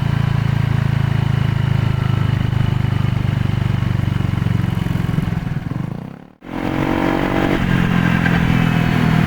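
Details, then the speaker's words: Honda PCX scooter, after first repair: rough, uneven rumbling clatter from the rear on deceleration, quieter than before but still present; later traced to a broken countershaft bearing in the final reduction gearbox, with metal debris in the oil, fixed by replacing it. "The sound is still there after the repair, but it's much quieter."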